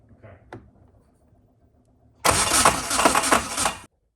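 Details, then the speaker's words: Car on a new Haltech Elite 1500 standalone ECU with base map, cranking: about a second and a half of harsh, rough grinding whir with no catch; noise began after a 12-tooth crank trigger was fitted, suspected starter engagement, cause not confirmed. "so he put in the 12 tooth crank trigger and it started making that noise ever since then"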